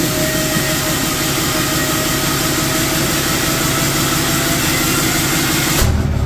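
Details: 4th gen Ram 3500 Cummins diesel, first start after cheap rebuild of HE351VE turbo with assembly lube, VGT actuator left off; steady even idle with smooth turbo hiss, no knocks, rattles or grinding; slight oil leak at VGT sensor spot. Normal idle.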